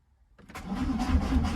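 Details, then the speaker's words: Diesel being jump-started: sluggish cranking with a few slow, heavy compression beats before it catches, then no smoke; battery too weak. "Go on, boy. That battery is fubbered."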